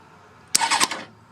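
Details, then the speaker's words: Motorcycle starter solenoid checked after fuse inspection, as the bike is fired up. A short burst of crisp clicks at the button press, distinct from starter-motor grinding, with no grinding after it. The solenoid snaps in cleanly and is fine. "yeah it's a it's a clicking sound that's different from the start the starter motor's grinding sound that's the ticking sound I'm listening for this one's fine perfect"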